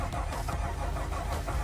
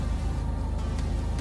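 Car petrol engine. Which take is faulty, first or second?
first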